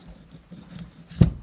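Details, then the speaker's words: KTM 450 RFS engine fully disassembled: loose connecting rod rocked by hand gives faint metal taps, then a sharp clack, showing worn, shot rod bearings. "sure you guys hear that those bearings are shot shot i don't know if they're just thrust washers and then the bearing in the middle but they are shot"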